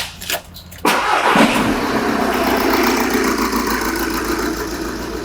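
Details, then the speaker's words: Engine on pressure-transducer test with number 4 injector and EGR disconnected: cranks, catches and settles into an uneven loping idle with a missing beat, a deliberately induced misfire from one dead cylinder. "So the final capture will be number 4 injector disconnected EGR disconnected so you will see the effects of intake manifold pressure And the pulsations in the intake manifold as a direct result of misfire"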